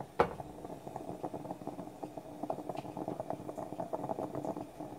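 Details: French stovetop espresso pot near the end of brewing, far enough along to pull off the heat; the pot is discolored from repeatedly heating dry. Quiet, irregular bubbling and gurgling with soft pops as the last water pushes up. Normal percolation.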